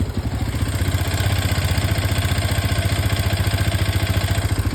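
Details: Hero Xpulse 210 at about 3,290 km, shortly after a cold start and a brief ride: single-cylinder idle with a fast, slightly uneven mechanical clatter over the exhaust pulse, source unclear; owner also reports an engine oil leak.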